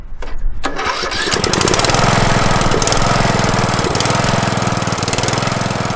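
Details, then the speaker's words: Craftsman LT1000 mower, Briggs 17.5 HP OHV engine, after new carburetor, fuel lines and air filter: brief crank, catches within a second and settles into steady even single-cylinder chug, no misses; healthy. "Now let's start it up and see how she runs. All right, time to give it a test."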